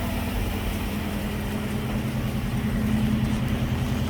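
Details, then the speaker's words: 1965 Mustang V8, first start after sitting, on 650 CFM Street Avenger carburetor (replacing a Summit M2008 500 CFM with high idle/choke issues): smooth, even burble at steady idle, no ticking or stumbling; normal idle. "but sounds pretty darn nice, if you ask me. That sounds a lot happier than with that other Summit carburetor we were."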